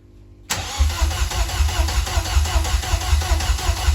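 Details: Rebuilt Vauxhall C20LET rear engine in twin-engine Corsa, first start in months after oil priming, no coolant: runs lumpy with uneven pulse and occasional pops/backfires; misfire traced to one crossed plug lead, timing also suspected.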